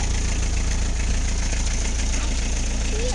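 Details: Isuzu I-Mark idling after the squealing fan belt was replaced with a new one: steady, even low idle with no belt squeal or chirp, running smoothly.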